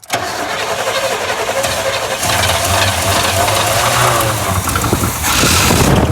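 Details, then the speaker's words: 1980 GMC Sierra/Chevy C20 crew cab, 454 big block, first start on fuel poured in by bottle: catches after a few turns, runs rough and uneven for several seconds, then dies; promising, first time heard running. "got it to run for a little bit that's promising it's first time I heard this thing run actually definitely sounding good"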